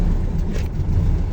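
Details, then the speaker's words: Volkswagen Beetle (vocho) engine at full throttle: deep low rumble that never climbs, bogging as if about to stall and not responding; owner suspects a dirty carburetor with a clogged jet (esprea), fuel delivery suspected, not confirmed. "A esto me refiero, voy a pisar el acelerador a fondo y como que se quiere apagar, no responde. Como que está muy sucio."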